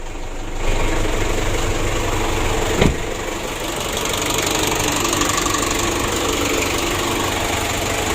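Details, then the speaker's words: Ford Ranger 2.5 diesel, hard cold-morning starting caused by dirty starter motor, now serviced; glow plugs checked good: steady even diesel clatter at idle, no misses or stumbles; normal idle after repair. "Nah ini untuk hidup mesinnya sudah mudah, sudah aman ya."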